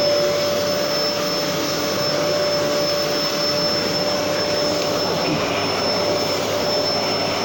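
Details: Gerer8 Power MAX 2000W old vacuum cleaner sweeping carpet: steady, even motor roar with a fixed high whine and no surging or rattles; vacuum running normally with good suction.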